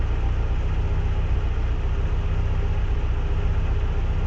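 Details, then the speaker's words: Renault 17 TS with restored Weber 32 DARA 4T carburettor, automatic choke disengaged, mixture richened and idle speed lowered by ear: deep even idle rumble with steady beat, no stumbling; normal idle. "Là, on rebaisse notre ralenti. Là, c'est un réglage à l'ancienne à l'oreille comme on disait."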